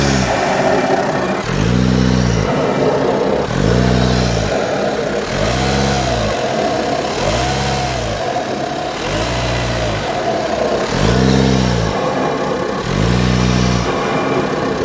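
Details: Audi A4 8K 2.0 TDI 170 PS diesel revved repeatedly; hollow whoosh rising and falling on each blip, on throttle lift-off sounding like a leaking air filter. Removing the MAF sensor hose did not help; cause unknown.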